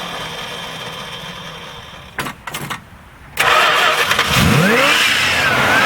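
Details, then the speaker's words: Edelbrock-carbureted engine that sat for a while on E10 fuel: cranks, catches, then revs unevenly and hunts instead of idling steadily; primaries and air bleeds suspected clogged with ethanol deposits; rough idle. "let's get this thing running yeah it looks like the primaries are clogged up with something"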